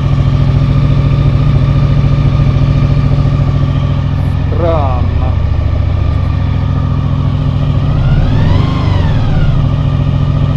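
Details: 2000 Honda VFR800 V4, injected and restricted, first start after winter on old fuel. Lumpy idle missing a beat every cycle, then a short rev. One cylinder is dead with a cold exhaust pipe.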